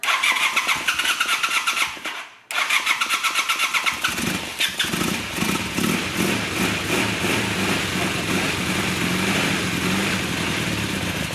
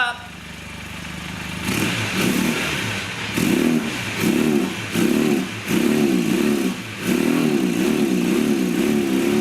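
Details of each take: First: 1982 Honda 450 Nighthawk parallel twin, first start in over 8 years after carb cleaning, on choke; starter cranks, pauses, cranks again, then it catches and settles into a steady, smooth, quiet idle. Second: 1982 Honda Nighthawk 450 parallel twin, first start in over eight years after carb cleaning: short throttle blips about once a second, revs rise and fall back, can't get it wide open yet; not at full potential.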